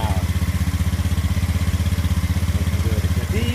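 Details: Honda Scoopy after repair of the sub-ECU 5A fuse that kept blowing (a shorted ignition output wire): steady, even putter at about four beats a second with a clean low exhaust note; idles normally and runs smoothly.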